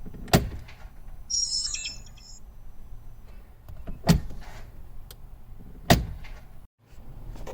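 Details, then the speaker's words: Smart Fortwo 451 Brabus whose clutch actuator intermittently won't engage reverse or forward gears, recorded before cleaning and regreasing it. Short, high electric whir of about a second between selector thumps as the actuator strains to engage reverse. "Step one is to turn the car on and put it in reverse. You'll hear the actuator moving now as I put it into reverse."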